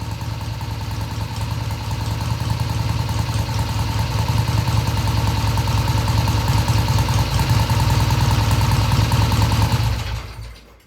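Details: 1971 Triumph T120 650cc twin after carb adjustment of about an eighth turn: even idle picking up cleanly through mid-range with no stumble or hesitation; normal idle and smooth revving.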